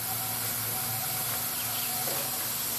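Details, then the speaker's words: Newly made safety valves tested on a live steam boiler at a train club, popping at about 120 psi: steady soft steam hiss as the number one valve weeps slightly while its seat breaks in. "the number one valve when I first started firing up it was weeping a little bit and now I see it starting to break in a little bit"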